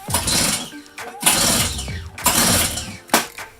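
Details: Fairly new two-stroke gas snowblower that ran last season, key on, choke on, primed: four recoil pulls give brief rasping spins with no pop or catch.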